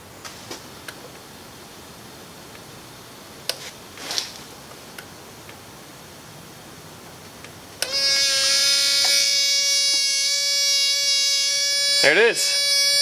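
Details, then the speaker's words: Subaru WRX boost leak test at about 18 PSI from a homemade tester, throttle blade open: quiet, then a sudden steady duck-call honk with hissing air that wobbles; leaking evap purge valve solenoid, also heard while driving. To be replaced. "I'm not sure if that's going to fix my boost leak issues but uh it's definitely an issue because it sounds like a duck call or something whenever I'm driving"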